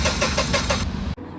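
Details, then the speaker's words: Tata Ace Gold BS6 CNG: starter cranks at a quick even beat for about a second with no firing, crank-no-start after codes were cleared; fixed by replacing the faulty ignition coil and both spark plugs. "जब ऐसा गाड़ी में होता है तो coil का fault भी हो सकता है और प्लग का भी फल्ट हो सकता है"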